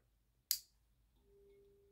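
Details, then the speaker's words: MAZDA FEE 75 18W 230V 50Hz E27 compact fluorescent lamp, 1987–1990, ferromagnetic ballast, argon starter, front slightly burnt: sharp switch click, then faint steady mid-pitched ballast hum, no flicker; normal ballast hum, condition acceptable. "Oh, on entend aussi le ballast. Oh, ça va, l'état est acceptable."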